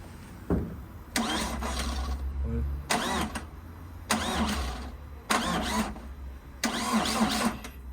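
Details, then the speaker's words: Vauxhall Astra H van, Z19DTH 1.9 diesel, first start after top-end repair for jumped timing: short, sluggish cranking bursts that never fire; owner suspects a flat battery, with the mass sensor also found unplugged. "That sounds different. Well, it doesn't sound like it's the timing's out. I think the battery's flat."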